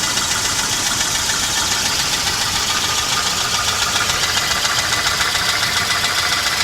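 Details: 1988 Volvo 240 GL: steady idle with regular light metallic tapping about three to four per second; most likely piston slap, otherwise engine runs fine.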